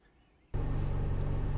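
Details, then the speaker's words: 2010 Nissan Pathfinder A/C heater fan, heard inside the cabin: steady low hum and rushing air stuck at one loud speed; display shows one bar, cannot turn it off and dial changes nothing. Failed blower motor speed resistor, replaced. "now that's showing that it's one bar at the minute which is obviously not true because it wouldn't be this loud inside the vehicle if i turn the dial as you can tell it doesn't get any quicker"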